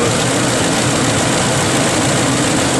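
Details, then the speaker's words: Ford F-150 after replacing a stuck VCT solenoid that caused a rough idle and about 10 codes, now passing the code scan: a smooth, steady idle with no surging, hunting or stumble, sounding like a big blue's supposed to. "Sounded like a big blue's supposed to sound. More rocking and rolling."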